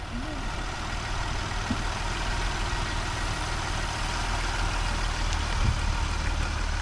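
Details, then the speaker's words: VW Jetta wagon with a VR6 at 152,000 miles, running with no exhaust fitted: steady, even low idle rumble with no knocks, misses or ticks. It is very quiet, smooth and healthy. "oh it's perfect needs nothing we don't hit this needs nothing yeah you can't even hear it like yeah it's so quiet you can't even hear it's crazy"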